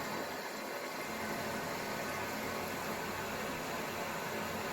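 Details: Toilet cistern after replacing the worn, ripped rubber diaphragm washer in the fill valve, which had caused a slow trickle refill taking many minutes: strong, even rush of water hissing into the tank with no squeals or chatter. It now refills quickly and normally.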